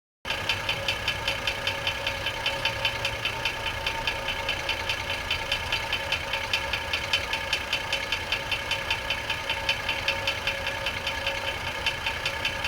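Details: 2004 GMC Envoy 4.2L idling with transmission removed, belt off, new harmonic balancer, several flexplates tried: sharp regular knock about 2.5 a second unchanged; suspected rod knock, flexplate ruled out, cause unconfirmed.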